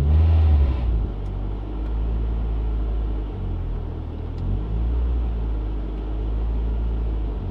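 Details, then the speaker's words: Mk6 Ford Fiesta ST after a cleaned throttle body and a new intake pipe with crankcase breather line: a short sharp blip, then the revs hang above idle instead of dropping back; owner feels it got worse, cause still unknown. "feels like gone worse that's kind of annoying waste of 75 quit trying to get that to work"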